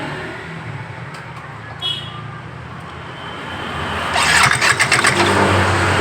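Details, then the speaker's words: Yamaha Mio GT scooter that won't move though the engine runs: idles low, then a harsh rattling clatter as the loose front CVT pulley slips and fails to grip; rear pulley still grips. "Nah kemudian kondisi semacam ini dipakai dan tidak akan bisa karena dia terselip ini terlepas tidak ada yang menggigit di depan ini"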